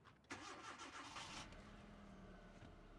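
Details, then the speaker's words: 2009 Hyundai Accent with an intermittent long-crank problem, started after replacing the crankshaft position sensor. Brief crank, then a slightly uneven idle; the owner suspects the top-dead-center sensor. "A little bit of a rough start. Actually, that actually wasn't too bad."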